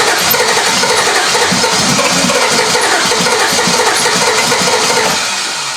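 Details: 1968 Triumph TR250, first fire-up attempt after restoration: the starter spins it evenly at about three beats a second with no firing. A wiring fault at the ignition switch is suspected of cutting coil power while cranking; distributor position is also being checked.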